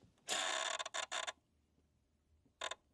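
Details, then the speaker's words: Honda Civic that won't start, sound heard at the fuse box: turning the key gives dry creaking or chattering bursts and no crank, while the dash lights up. The relay chatters on low voltage from a failing ignition switch. "So you hear kind of that creaking noise is the best way to describe it in the fuse box when you're trying to start it."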